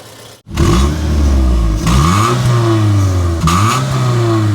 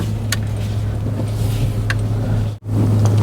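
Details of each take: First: 2005 Suzuki Aerio facelift, four-cylinder, manual, catching and revving in smooth even pulls with no rough noises from inside the engine. Combustion is good, with no smoke. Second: 2005 Suzuki Aerio facelift, engine running: a steady low hum holds level with no knocks or ticks, and it is not the AC compressor. It is traced to the fuel pump, possibly a non-original replacement pump.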